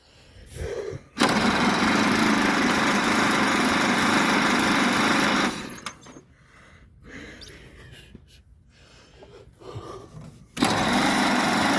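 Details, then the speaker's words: 1927 Pirsch fire truck petrol engine, first start in about 29 years, with carburetor trouble and oil in the cylinders: roars steadily, cuts out abruptly, then catches again; lost spark or too little or too much fuel suspected. "I think we lost something there we go we lost Spark I don't know not enough in the gas too much gas"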